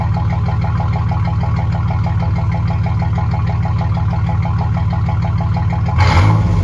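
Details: 2006 Chevy Silverado 1500 long bed after swapping stock welded muffler for a Quiet Flow muffler: deep even idle exhaust pulse, short rev blip at end, no puffing or ticking; tiny joint leak said to be barely audible.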